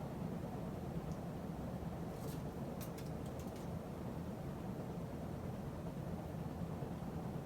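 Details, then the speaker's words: 52-inch Emerson Heat Fan ceiling fan dated September 1980, after blade balancing and bearing replacement: soft, even whoosh and low hum; slight wobble remains, clicking and bearing noise gone, occasional buzzing from the solid-state speed control; normal running. "It still wobbles a little bit, but not as much as it used to. And there's no more noise, no clicking noise, no bearing noise. Just sometimes buzzing noise, which is common with solid state speed control."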